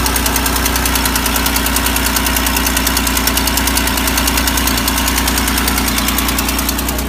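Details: 3800 L67 V6 at idle: steady, sharp ticking over the engine note from an exhaust leak.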